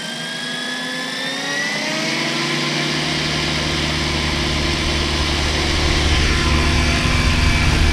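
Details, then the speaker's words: Goblin 500 RC helicopter, second flight after rebalancing badly out-of-balance main blades: rotor hum spools up to a steady pitch with no wobble or throbbing, much smoother; tail belt may have loosened. "actually what i found is my main blades were way way out of balance uh like nowhere near close so uh i rebalanced them and let's give it a shot and see what happens"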